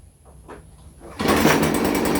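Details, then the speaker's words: Stihl FS 56 RC trimmer after cleaning oily muffler screen and plug from 20:1 mis-mix: catches straight away, steady clean high buzz with no stumbling; healthy start. "See, now you can start it up, man. Let me show you again. I'm going to start this up easy now that I got it done the right way."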